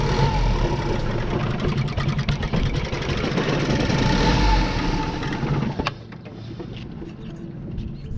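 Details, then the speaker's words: 2014 Ford Focus, 200,000+ miles, went into limp mode on the highway: rough, surging idle that sags, with no throttle pedal response; code P2111 returns after erasing; owner suspects throttle body misalignment or calibration, spark plugs being replaced. "it says engine fault service now get in there this is p2111 I'm going to erase the code still doing it yeah there's no there's no throttle pedal"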